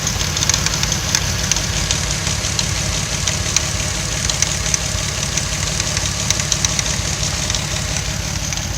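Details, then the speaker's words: Toyota Supra 2JZ with Aristo swap, new aftermarket fuel pressure regulator at 42 psi, misfiring, smoky, struggling idle, later traced to the main ECU; light uneven clicking about three per second, present before misfires began — clicking noise. "And there's this weird clicking sound coming, but it made this long before it started misfiring."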